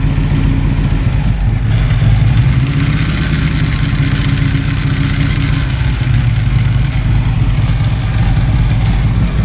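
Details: Harley-Davidson on a shop dyno in Kingman, Arizona, owner chasing a clunking noise: steady deep V-twin drone under load with a rough low growl underneath. Worn transmission bearings growling, replaced.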